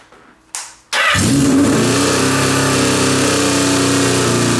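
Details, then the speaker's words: Suzuki GS650 after top-end rebuild, coils and carbs refitted, first start: short crank, fires immediately and holds a steady, even idle with no stumbling; runs healthy. "Wow, the idle's good. Yeah. Hey, she's alive."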